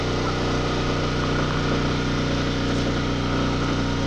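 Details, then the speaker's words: RV generator carrying the air conditioner plus a toaster: a firm, steady drone holding pitch without surging or hunting, normal under load. An open-frame unit, reading 64 dB at roughly 25 feet, inaudible inside the trailer beside it. "It says it's 64 decibels, even though it's an open frame unit. It's not too bad. I can't even hear it inside the trailer, and it's right beside it, so it's okay."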